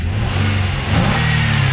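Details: Nissan Altima race car after the alternator was plugged back in, charging with no flickering lights: engine climbs smoothly through the revs and holds steady with no stumble, sag or misfire; normal revving.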